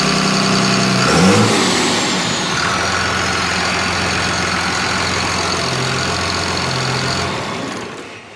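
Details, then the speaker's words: Cummins diesel from an old bus, sat outside about 3.5 years, restarted after cooling down; it catches, revs up, then settles into a steady, even rumble with no knocks, misses or surging, a normal-running diesel. "i'll take that that'd be fantastic i got no complaints about that at all that tells me everything i needed to know it runs"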